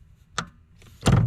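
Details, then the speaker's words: Honda S2000 brake pedal pressed, heard from under the dash at the master cylinder: a sharp click then dull thunk as the pedal first goes down, the pushrod moving slightly with the click. "But the rod moves ever so slightly when it makes that click."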